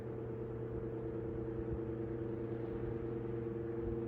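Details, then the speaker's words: 1931 GE 16-inch franken-fan, shaded-pole 4-pole 110VAC motor, brass blades believed to be Sprague, before restoration, on low speed: strong startup, then steady low hum with constant pitch and soft airflow, no scraping or ticking; runs fine. "Here it is on low. It's got quite a startup."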